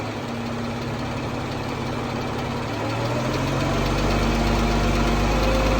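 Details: 2014 Jeep Wrangler 3.6 Pentastar rising from idle with a quick, even tick of about three per second; owner asks whether rocker arm or valve tick, source unknown.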